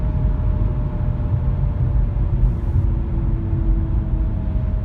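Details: Audi A5 B8, front right wheel bearing worn: deep steady rumble with faint hum under cabin noise while driving.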